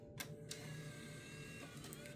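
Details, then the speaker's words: Nintendo Wii with a faulty disc drive, after cleaning and repair. Quiet smooth motor hum with a couple of light clicks as the disc is drawn in and spun up: normal disc loading. "Takes the disc spinning. Yes."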